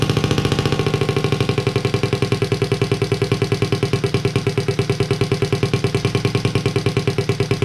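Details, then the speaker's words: Honda Z50A monkey bike, first start after fitting CR70 stator with original flywheel, manifold not connected to silencer: steady even putter settling into warm-up idle about three firings a second; normal. "wow finally well we managed to get it to work and it sounds pretty cool as well"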